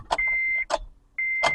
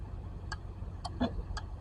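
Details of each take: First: 2008 Honda Civic towed in with a no-crank no-start despite a new battery; turning the key gives only a chime and a couple of dull clicks with no cranking, traced to a faulty starter motor. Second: 2008 Honda Civic no-crank no-start, four-pin starter relay on a relay tester: crisp, evenly spaced clicks about three per second, each clean and solid; the starter relay is good.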